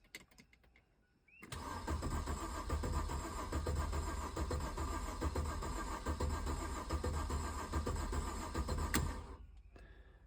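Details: 2006 Mercedes SLK280, crank no start, no fuel pump prime heard at key-on; about eight seconds of steady starter cranking that never catches; later fixed by removing and cleaning the engine control unit.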